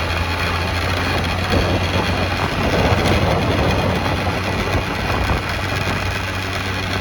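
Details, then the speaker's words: 1989 Yamaha Riva Razz 50cc two-stroke scooter with 2,500 miles, after a tune-up and a premix conversion, with slight smoke blamed on leftover line oil. An even, steady putter at idle with no misses, knocks or hunting; it runs pretty good. "How's it running? Pretty good."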